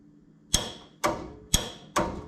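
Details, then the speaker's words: Car with new QuickCar wiring: four sharp clicks about half a second apart on a quiet background, the brake switch shutting off cleanly. Everything is working as it should. "Brake shut off. We can listen for the click."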